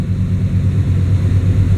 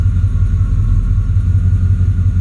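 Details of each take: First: Truck with a stalling problem (owner suspects the torque converter; lockup gone) idling after the IAC valve was cleaned: steady low rumble with a faint rhythmic shake coming and going, which it always had, otherwise smooth and even; idle much improved, runs mint. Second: Truck (possibly bad torque converter, lockup gone) idling in gear: deep low labouring rumble with faint uneven beat, valves ticking, engine dragged down like a slipping clutch; voltmeter fine, owner says not electrical; cause suspected, not confirmed.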